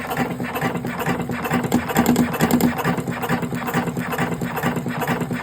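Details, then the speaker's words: Electric cigarette rolling machine running: fast, uneven rattling chatter from the rolling mechanism, about two beats a second. The noise comes from the tobacco level running low. "bir arkadaşımız yazmış abi neden ses geliyor burada tütün azaldığı için buradan ses geliyor"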